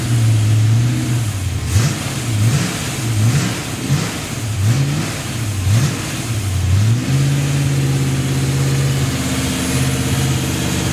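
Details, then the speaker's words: Freshly built Chevy 283 V8, restarted after an earlier error, already near 180 degrees: blips up and down a few times, then settles to a steady, even idle with no miss or hunting; normal idle. "so now we're going to try it again all right here we go let's start it up sound better here"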